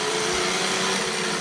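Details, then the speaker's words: Traxxas X-Maxx RC truck driving after a diff broke and most teeth on the 20-tooth spur gear were destroyed; harsh high-pitched rasping buzz like a chainsaw over steady motor whine as stripped teeth slip while limping back. "that doesn't sound too healthy at all right we're gonna go ahead and Limp this back sounds like a chainsaw"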